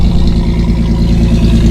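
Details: 1985 Ferio, odometer around 87,000, cold start with the microphone in the back of the car: steady, even low rumble with no knocks or misses, a smooth cold idle settling nicely; engine sounds healthy.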